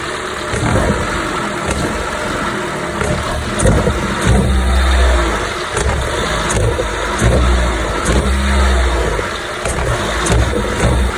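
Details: 2015–2023 Jeep Renegade 2.4L petrol engine revving unevenly on acceleration, with sharp pops and a buzzy rattle over the surges.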